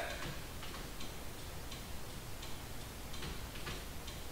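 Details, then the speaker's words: 2002 Toyota 4Runner with LED turn-signal bulbs on the factory flasher: rapid clicking about three per second, hyper flash because LEDs draw almost no load and the relay thinks a bulb has burned out. "when it doesn't sense that load it thinks one of the turn signals has burned out so it's actually flashing fast as a warning indicator letting you know you need to check your bulbs"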